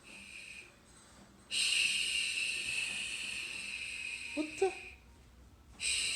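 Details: Google Home Mini, set up months earlier and left unused, gives irregular hissing bursts rising and fading like slow breathing with a brief short noise between; spontaneous breathing-like noise glitch, cause unknown.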